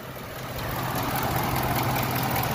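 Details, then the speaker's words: 2010 Ford Expedition 5.4 with codes P0016 and P0346, idling, hood closed: faint uneven tapping that comes and goes over the idle; intermittent noise, timing chain area suspected. "because I tell you that I haven't even opened the hood yet, it was just that it suddenly makes more and suddenly they don't I would need to speed up a little to see well"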